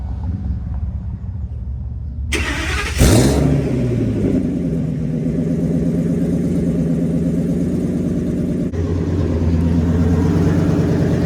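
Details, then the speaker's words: 2000 Ford F350 dually V10 after fitting a new tail pipe with stainless tip: fires up, settles into a steady deep even rumble, then revs cleanly; no rattles or leaks heard, exhaust note sounds healthy. "Sounds good. Sounds better. Now, rev it up a few times."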